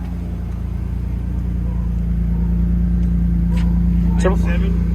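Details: Petrol engine idling with a steady even hum once the bolt is put back in the PCV valve. Pulling the bolt out caused a vacuum leak that made it run lean, sound rough and climb about five degrees in 30 seconds.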